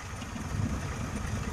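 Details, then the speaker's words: Mitsubishi Colt T120 after replacing points and points wire and adjusting the distributor, which was loosened, shifted left and retightened with the engine running for easy starting: even, low idle burble with steady beat, no stumbles or misses; idles perfectly. "Wow, bagus sekali. Ini sudah sempurna seperti itu, kawan."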